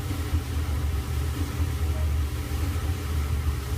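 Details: Kenmore Elite dryer 796.81073310, made by LG, in steam refresh mode that squirts and leaks water; steady low hum with faint pulsing rumble as the steam generator pump runs before any water sprays.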